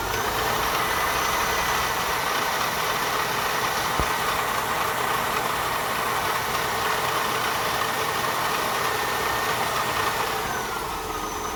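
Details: 2000 Honda Odyssey losing coolant, with noise when accelerating, throttle pressed lightly: a steady high whirring rides over the even engine note; faulty water pump, water pump replaced.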